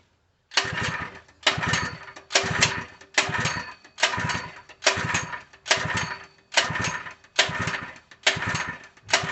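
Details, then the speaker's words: Harbor Freight 3 HP small engine (SKU 869733), new open box, oil filled: repeated pull-starts, catches briefly and dies only with fuel poured in intake; won't start, owner suspects fuel delivery issue. "Wow. Oh. It's trying to."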